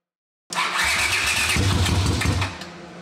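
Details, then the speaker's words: A 1979 Honda CX500 twin, half-converted cafe racer, cranks and catches at once, then runs rough and lumpy and drops to a weak idle. It is firing on only one cylinder because one ignition coil is wrecked; a replacement coil is on order. "It's only going to run on one cylinder because I wrecked the one coil. But the coil is on its way, so we'll see what happens."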